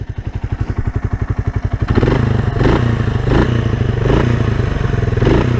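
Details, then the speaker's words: 1978 Kawasaki KL250 after top-end rebuild with lapped valves, on break-in ride, warm; even single-cylinder thump at idle rising cleanly to a steady drone, no knocks or rattles, no leaks or smoke; normal idle. "She's just purring like a kitten. I don't see any oil leaks. The engine sounds really good and smooth."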